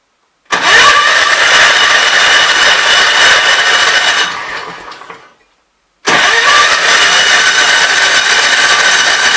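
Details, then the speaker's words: Kohler K241 single-cylinder at idle with Walbro fixed-jet carburetor, after finding the passage feeding the jets completely plugged and filling the fuel line: fires, runs a few seconds, sags and dies; still seems fuel-starved, lean. "i still don't think there's enough gas in this thing"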